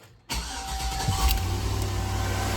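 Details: 2005 Chevy Tahoe V8 first start after water pump and thermostat replacement, coolant just added, checking for leaks; starter catches within a second, settles into smooth steady even idle with no misses.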